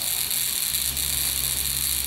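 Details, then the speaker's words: Buzz coil after point adjustment, about 1.2 amps on the meter: steady, even high-pitched buzz with no dropouts; hits the spark tester every time. Capacitor suspected weak, possibly moisture, though the coil functions well. "right around 1.2 in and again it's working really nice when that spark tester and you can hits every time"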